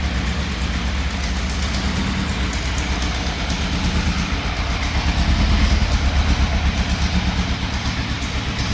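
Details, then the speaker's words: 1980s Yamaha FZ750 four-cylinder, fire-damaged, on fresh fuel and a battery booster with full choke (sticky choke cable): uneven, lumpy beat near three per second that won't settle; it starts then cuts out, rough running. "it now has is it starts and then it cuts out now it did run for a fair while with the choke all the way up"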